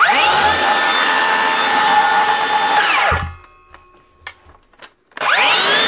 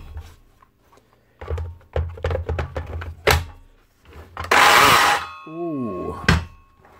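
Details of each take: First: DeWalt 54V DCS577 circular saw after replacing the failed bottom 6002 motor bearing, which had caused an intermittent grinding. It now spins up to a clean, steady whine and coasts down smoothly with no grinding or rattle. Normal running. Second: DeWalt 54V circular saw, suspected failed bottom motor bearing (standard 6002 bearing, replaced); motor spins up in short bursts with rough gritty grinding that comes and goes, only sometimes; owner thinks bearing rather than gear; motor bearing failure.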